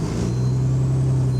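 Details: GAL E141 bus on route 118 pulling away, turbo whining and whistling: a deep, steady drone booms under the bus with far too much bass from the exhaust, pointing to an exhaust leak.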